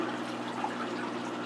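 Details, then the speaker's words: 125-gallon planted aquarium during a water change, water level below the surface skimmer intake: constant gurgling, trickling water with bubbly spatter; skimmer sucking air until refilled water rises above its intake. "or it'll be above the intake of the surface skimmer, and therefore the surface skimmer will begin working properly and will stop sucking air in, and we'll begin skimming the surface properly, and we'll stop getting those bubbles and all that noise."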